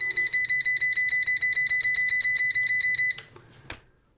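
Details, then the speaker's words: Uni-T UT161E multimeter continuity test with rapid probe tapping. Crisp high beeps repeat quickly, about six or seven a second, then stop cleanly; the beeper keeps up but the light doesn't work at fast tapping. Normal continuity beeps. "Let's see how fast it goes. That's pretty fast, but the light doesn't work when you're doing it fast, so."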